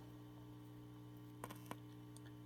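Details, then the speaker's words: Zenith 5S119 antique radio, replacing a paper/wax capacitor, microphone aimed at the speaker: steady low mains buzz with brief handling clicks, louder with the capacitor's outer foil on the wrong side; correct orientation adds no buzz. "so you can sort of hear the difference in the buzz as I apply the capacitor and that would be the noisy side"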